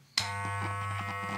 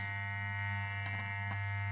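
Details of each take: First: Wahl Super Taper hair clipper after motor and blade replacement: switches on and settles into a steady, even low buzz, no rattle or strain; now quiet with good power. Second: Wahl Super Taper clipper with replaced motor and blade, running. Its motor adjustment screw is turned clockwise until a hard, loud buzz appears.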